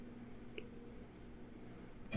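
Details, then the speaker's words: MacBook that won't turn on, NVRAM/PRAM reset holding Option+Command+R+P after power tap: near-silence with faint clicks, then startup chime; release keys at second chime. "As soon as you hear the second chime, release the keys and try to see if this fixes the problem that you've got."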